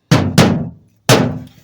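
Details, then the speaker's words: 1965 Ford Mustang with new quarter and tail panel held only by poor spot welds and self-tappers, not attached to the frame rail. Struck rear quarter gives three hollow, drummy thumps, and the trunk lid hits the tail light when it shuts. Loose body panel knock. "Otherwise, it is not attached. When the trunk lid is shut, you hear it hit the tail light."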